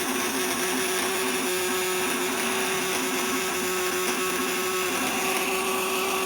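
Constant harsh buzz holds a steady pitch under heavy lamp load, with no stutter or dropouts; the vibrator inverter is working normally.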